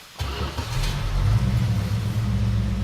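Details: Dodge Super Bee with a rebuilt 383 V8, cam broken in a couple of days earlier, before its first test drive: the V8 catches instantly on the first turn and settles into a steady, deep, even idle with no misses or knocks.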